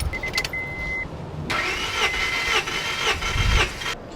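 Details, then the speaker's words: Honda Prelude compression test, cranking with throttle floored on cylinder 4, new spark plugs going in after it ran badly: steady, even starter rhythm with no catching; about 220 psi, all cylinders in the 200s, healthy compression. "So going by this compression test, it's looking pretty healthy for the Prelude. Pretty good numbers."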